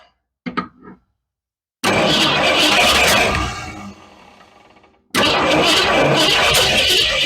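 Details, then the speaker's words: Cougar car engine after new spark plugs with coil wire connected; spark confirmed and fuel poured down, backfiring: starter spins the engine in two bursts of a few seconds at an even chug, but it never catches; cranks, no start. "So something's not right. Or to fire it up, but we're getting spark."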